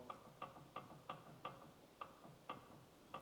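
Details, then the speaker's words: Jawa 250 type 353 motorcycle gearbox turned by hand: light, sharp clicks about three a second, also heard at idle. The owner suspects a worn bearing, perhaps the upper one; source unconfirmed. "kuuluuko niinku laakerista ja se tyhjäkännilläkin kuuluu semmonen niinku klik klik klik klik klik klik. Täähän se varmaan niinku sillä sen äänen päästää."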